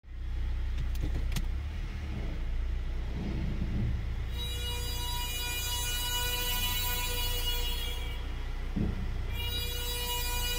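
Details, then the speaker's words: 2008–2017 Honda Accord driving with worn, low front brake pads: a high buzzy squeal, like a party blower, comes and goes over road rumble, made by the pad wear-indicator clips warning before the pads reach the old rotors. "and so the reason why you get that noise is that you have these clips that give you an audible notice with time so that you don't wear down to the rotor"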